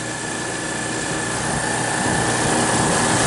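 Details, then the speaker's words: Refrigeration compressor in about 14-16°F cold with -14 wind chill, after fitting thermostat-controlled crankcase heater on liquid receiver to raise pressure: smooth steady hum with even low throb and faint whine, low pressure control cut in, starting pump-down; normal. "and this is now the compressor is running it warmed up the refrigerant enough so it expanded just enough to kick in the the fres frost and she should start pumping down for"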